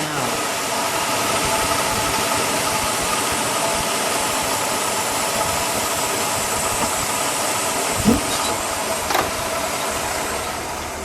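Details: 1965 Cadillac Eldorado convertible, factory 429 cu in V8, just started and idling, heard from the rear of the car: quiet, even idle with a soft hiss, no knocks or misses; smooth, healthy engine.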